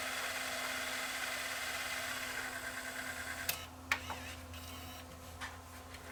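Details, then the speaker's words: Tascam DA40 DAT recorder under repair for Mecha Com Err, fast forward and rewind test: steady whirring with faint low hum, then clean clicks as transport stops; mechanism smooth and healthy, though intermittent playback sound loss remains (owner suspects dirty head or board). "so i don't know why it kicked in whether he just maybe one of the heads was a bit dirty or there may be an issue still so i was gonna fast forward and rewind this tape see how that mechanism sounds"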